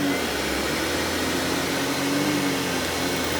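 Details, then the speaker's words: 1997 Hoover Dirt Finder Power Drive self-propelled upright vacuum U6331-930: loud steady even roar with no surging, rattles or scraping; motor and brush drive running smoothly, normal. "let's go ahead and turn this thing on and demo it for you guys so you can hear just how smooth this thing runs"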